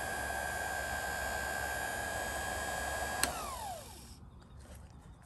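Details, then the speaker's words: GE GDF530PGM0WW dishwasher wash pump run directly from a test harness: an even motor whine with a steady high tone, winding down smoothly at shutoff; the pump operates normally. "so I'm going to introduce power now and we'll see the wash pump turns [Applause] on"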